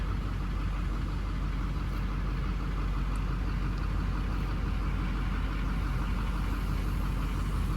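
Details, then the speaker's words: 2006 Chevrolet Silverado 3500 HD work truck, believed diesel, 165,000 miles: steady, even low rumble at idle right after start, no knocks, ticks or misses; normal idle. "Ready? Yes. This big boy fires right up."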